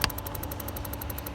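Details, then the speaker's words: Porsche with P1071 fault, engine idling, DME drive-links actuation test: faint rapid even ticking, about a dozen a second, as the tank vent (purge) valve clicks; it should be run five minutes to get hot. "ok and now what you have to do is you have to hit execute and once you hit execute the tank vent valve should be clicking so let's listen for that"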